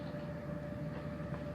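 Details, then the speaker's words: Donkey Kong arcade machine with no game sound, only steady low mains hum with a faint buzz from the amp; owner believes a bad volume potentiometer caused the hum. "I had the amp out right now all I'm getting is just major calm and so in this video I found the problem I do believe the volume pot was bad after all the everything's said and done"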